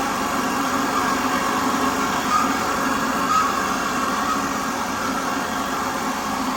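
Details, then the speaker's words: 2019 Chevy Cruze RS, start-up after P0201 diagnosis and fuel injector replacement: steady, even idle hum with no misses, ticks or stumbles. Smooth and healthy, though the aftermarket cold air intake sounded funky. "All right, sounds good and smooth. That cold air intake sounded pretty funky."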